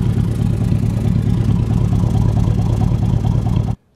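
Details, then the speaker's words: 2001 Chevy Silverado 1500 Z71 4x4, 5.3 Vortec V8, under 100,000 miles, fuel pump and sending unit replaced, good coolant temperature and charging: smooth, even idle with a steady low rumble, no ticks or knocks, running good. "Oh yeah, it's running good. I'll let y'all listen to it for a second here."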